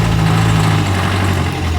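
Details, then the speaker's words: Crash-damaged salvage 2011 Ford Ka that sat a long time in salvage: steady even low idle rumble with no misfires, ticks or knocks; runs sweet and drives. "right it actually runs sweet as up not only that it drives"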